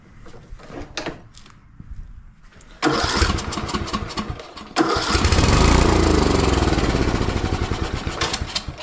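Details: Cub Cadet riding mower with a newly fitted ignition coil, on choke, in neutral, tried on carb cleaner: starter cranks steadily in long bursts but never catches; cranks but won't start, fuel delivery suspected (old fuel filter, carb overflowing).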